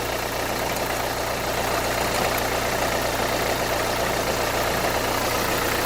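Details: 2011 Renault Kangoo 1.5 dCi 86 hp diesel, under 100,000 km, Delphi injection pump with metal filings, idling slightly lumpy after restart; filter primer bulb found empty, air in fuel system despite new fuel filter.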